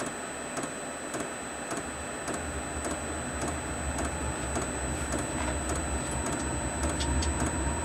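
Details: Newly fitted Chinese diesel heater with backup battery, lit and warming up: steady blower rush with an even fuel-pump tick three to four times a second, running normally.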